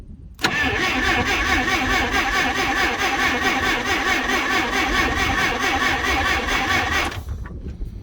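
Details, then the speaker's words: Clark C500Y45 forklift (4,500 lb) with a Waukesha D176G engine, rescued from scrap, starter jumped straight from the battery because of corroded wiring; steady rapid cranking about two beats a second for roughly seven seconds with no grinding. Starter works. "that's good we got a starter at least"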